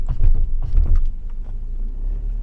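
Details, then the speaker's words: 15-year-old Audi A4, about 80,000 km: two or three dull low thumps when brakes are lightly applied at crawling speed, then steady rumble; cracked lower control arm (big arm) rubber bushings knocking. "This is the big arm, this is the brake step together, that's it. Step together. Point brake You hear me, it's empty."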